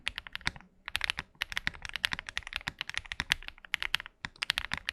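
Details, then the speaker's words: Tiger80 (KBDFans) TKL mechanical keyboard after a force-break mod all around and an EVA foam: fast typing with crisp, tight clacks, the stock ping and hollowness eliminated. "so i modded this keyboard nonetheless to show you how i eliminated that ping in hollowness"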